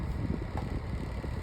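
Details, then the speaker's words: 8-inch Sunbeam (Holmes) oscillating fan on high without oscillation, front grill snapped on: steady low hum with an uneven fluttering rattle from something loose vibrating; oscillation also reportedly sticks at times. "as you can tell, it rattles. Apparently, another thing is with the oscillation, it has some issues."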